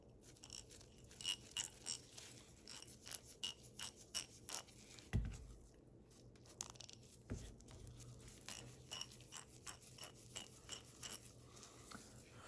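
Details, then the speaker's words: Ace Hardware vintage 1/2 in drive ratchet right after cleaning and greasing, lever worked back and forth: crisp, light, even clicks in uneven bursts with no dragging, a big difference from before; normal, well-lubricated ratchet. "Talk about a difference. It's amazing how little things like this can really help prolong the life of a ratchet."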